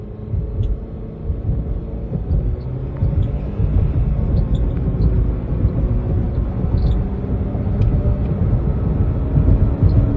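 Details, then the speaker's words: Jeep Patriot at about 30 mph: low steady droning growl like an airplane taking off, swelling with road speed, from the left rear; bad left rear wheel bearing. "that whirling noise that growling noise whatever you want to call it uh I I like to describe it as an airplane taken off it's coming from that left rear wheel bearing"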